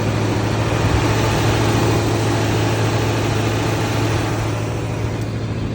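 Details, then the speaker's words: Loadstar truck just started with the choke pulled out slightly, out of gear: smooth, even low idle hum with no lifter tick or knock, normal idle. "So, from the videos, I've heard people having like lifter ticks and whatnot. Not this one. Very nice, smooth running truck."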